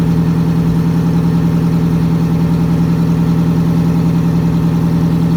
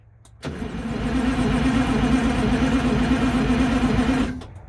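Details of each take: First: MCI MC8 diesel bus, sat about two years, now started without the charger; shutoff solenoid not working: steady, even idle with smooth low drone, no knocks or misses; engine running healthy, normal idle. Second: MCI MC8 diesel bus, sat about two years, started from front controls with rear start controls not working, coolant low, batteries suspected weak: heavy steady cranking about four turns a second for four seconds, some smoke, never catches; crank, no start.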